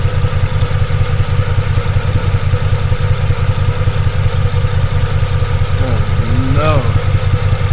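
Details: Toyota Tacoma X-Runner after a burnout, exhaust baffles blown out, no oil pressure reading yet: deep throbbing idle with loping, slightly uneven beat of about two and a half pulses a second; rough idle, misfire suspected.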